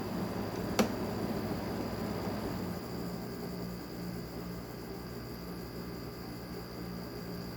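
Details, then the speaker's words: Arctic King window air conditioner after garage flood, tested: low steady compressor hum with constant tone and soft airflow hiss, one brief click at start; compressor sounds healthy with a bit of noise. "Compressor sounds really healthy. Has a bit of noise to it."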